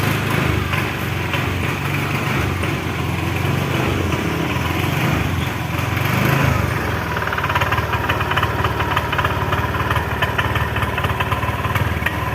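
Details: Honda Vario 125 scooter suddenly losing power: rough, uneven running, stuttering and popping as throttle opens instead of picking up, dies at full throttle; caused by misadjusted throttle position sensor.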